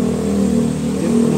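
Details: New 2023 Toyota Veloz after diagnosing rough idle and low power (scanner flagged a cylinder misfire, wet number-four spark plug), codes cleared: engine picks up cleanly with steady, even tone, no stumble or miss; idle now stable, normal.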